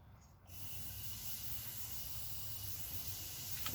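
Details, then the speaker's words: Propane hooked up to a new two-burner Hell's Forge during the leak test, one burner cap off and the gas turned on: a sudden steady hiss that holds without sputtering, normal gas flow through the burner. "and i have one cap off and i'm just gonna turn the gas on so you can actually hear that there's gas flowing through it"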